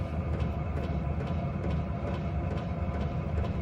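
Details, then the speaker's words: Hcalory 5-8 kW 12V diesel air heater running hot: sharp, regular fuel pump ticks about twice a second over a steady rumble, amplified by the wire cart it sits on; relocating or isolating the pump is suggested. "You can definitely hear the pump noise now. It's even amplified even more by going through this wire cart."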